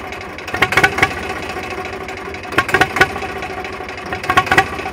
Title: Zebra 3520 rough idle